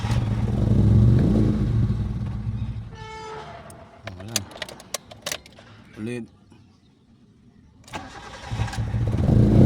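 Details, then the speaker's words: Mitsubishi GSR manual that reportedly dies on first start but runs on second, with RPM rising and falling; engine runs briefly shaking, fades out and dies, then cranks and catches again. Engine stalls after starting. "Ayun siya anan nanginginig tapos patay ulit ay patay ayaw niya diretso start"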